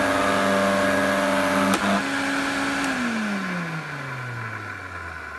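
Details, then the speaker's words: Electrolux 502 vacuum after oiling the worn motor bearings and a ten-minute run-in: steady motor hum with a thin high tone, then smooth spin-down; much quieter than before but not perfect. "so I've left this run in for about ten minutes and it's definitely sounding better it's not perfect but it is definitely a lot better than what it was"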